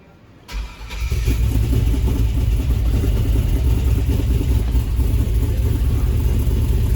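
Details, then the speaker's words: Freshly rebuilt iron-block 5.3 LS V8 with Holley, first start after cranking to prime oil; short crank, then catches and settles into steady deep rumble with no knocks; normal start and idle. "tuned should still be the same all through the holley just be able to fire right up and shut off we need to start it"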